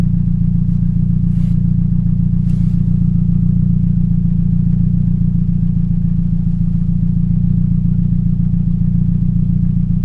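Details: 2007 Toyota Yaris 1.5L 1NZ-FE: low idle with a steady stumble a little over twice a second, a suspected misfire.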